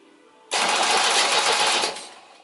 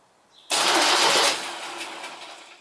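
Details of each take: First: 1972 MGB GT restoration after wiring up: quick, even whirring crank about 1.5 seconds, spinning briskly with no drag; starter turning the engine over properly. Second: 1972 MGB GT flood-damaged restoration, first battery connection after rewiring: harsh whirring burst that fades as the starter cranks by itself, because starter and starter relay were put on the same connection; engine turns over as it should.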